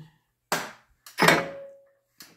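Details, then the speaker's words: EGO two-stage snowblower: the drive works but the auger won't turn and can't be spun by hand; only dull clunks when the auger is engaged; suspected broken gear in the gearbox, unconfirmed. "and you can see the auger's not pinned and you can hear the clunking right at first I thought it was hitting one of these bolts but know it's clearing them there's no damage on them"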